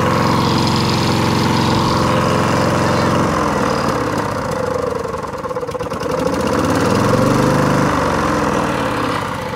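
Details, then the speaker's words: Lawn mower with old-style Briggs & Stratton engine, fuel leak visible, suspected flooded carburettor; catches after a few coughs and settles into an even, steady putter with no misses or knocks, normal running. "so hater hey turret runs got a bit of a fuel leak going on"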